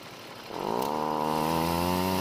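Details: Six-year-old Stihl two-stroke trimmer on ethanol-free gas and good two-stroke oil, started and revved; high buzzing rev whose tone wavers instead of holding clean, runs poorly, cause unknown.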